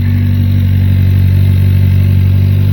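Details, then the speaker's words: 2019 Hyundai Elantra GT 1.6 L turbo with P0300 and cylinder 2 and 4 misfire codes under load, now at idle: even steady low hum, no misfire or rattle heard; normal idle, intermittent misfire not reproduced. "Right now, the engine's sounding good. It's no uh don't hear any misfiring going on. The engine's not rattling."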